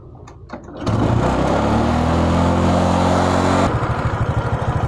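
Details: Honda Supra 125 that would not idle and died when throttled; after carburetor cleaning and refitting, it fires after a short crank and settles into a steady, even idle with no hunting or misses, before air screw adjustment.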